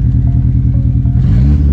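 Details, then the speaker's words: Car while driving: loud engine with a choppy, uneven low beat that stumbles as revs change and throws bangs; a hard misfire, cause unknown. "I don't know if you can hear it and it does these mad Dell bangs which sound really cool but they're not really what you want"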